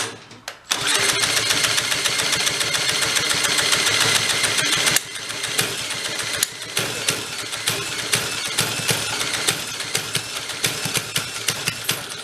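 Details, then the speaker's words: 1965 Corvair Monza SS go kart (Rupp), long stored, no choke, carb mixture unadjusted: starts and revs, then uneven idle with irregular pops about three per second; sounds rich and loaded up, head gasket leaking. "It sounds really rich. It might be just kind of loaded up."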